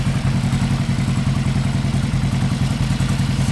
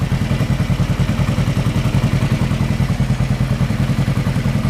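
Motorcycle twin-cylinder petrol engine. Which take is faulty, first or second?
first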